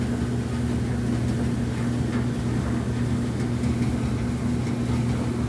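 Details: Kenmore gas dryer (model 4620) after replacing the gas valve, turned back on: steady low drum rumble with an even hum, no knocks, scrapes or squeals; normal running after the repair.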